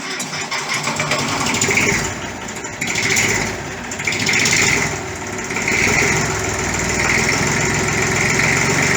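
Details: 1959 Fordson Dexta diesel tractor, 62 years old, after an oil service: steady diesel clatter at a settled idle with only gentle swells in level, oil pressure okay, no leaks; a healthy idle.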